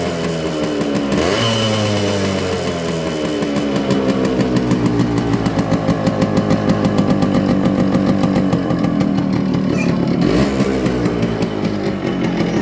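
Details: Yamaha RX100 two-stroke single on its original stock silencer: crisp popping idle that climbs cleanly when the throttle is blipped and drops back evenly, loud with some smoke; a normal, healthy two-stroke exhaust note.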